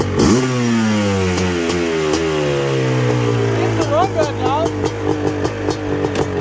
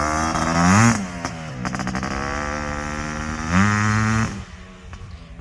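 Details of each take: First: Suzuki LT500R Quadzilla 500cc two-stroke, FMF pipe, airbox lid off, 39 mm PWK-style carburetor, 0.5 mm over bore, around 190°F: rips through the revs with a clean steady wail, no sputter; jetting sounds right. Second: Suzuki LT500R Quadzilla 500cc two-stroke with FMF pipe after a jetting change, possibly not fully warm: revs held high with a faint uneven burble and sputter at the top, jetting a hair rich, which clears once the pipe heats up.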